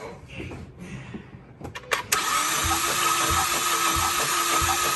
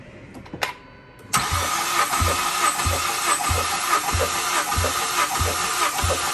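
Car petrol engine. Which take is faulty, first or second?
first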